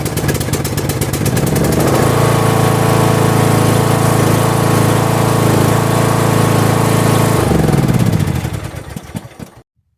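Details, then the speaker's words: Tractor not started for at least a month, jump-started with a Hulkman 10.0 jump starter: cranks, catches in about two seconds, steady even single-cylinder beat before shutdown; healthy running. "So I'm just going to push the seat down there, and this thing hasn't been started in at least a month, so we'll see if it starts up here. Put it on. Put the brake in. On. And the thing started right up."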